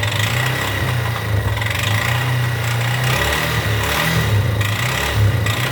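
Steady single-cylinder idle with a dry, raspy clatter riding on top of the low thump; an odd engine noise, cause unclear.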